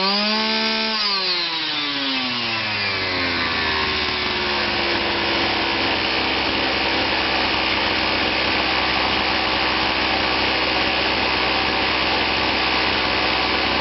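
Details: Kawasaki KBH43A strimmer, which would only run on choke due to a fuel delivery problem, after repair: engine climbs in about three seconds to a high, steady buzz and holds evenly without surging or stalling; idle later turned down slightly.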